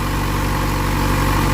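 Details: Motorcycle idling after replacing the burned-out unit; corroded connectors likely caused resistance that overworked and burned it out, melting the connector. Wires not getting too hot. Steady, even idle with smooth low drone, no misses, ticks or surging; running fine.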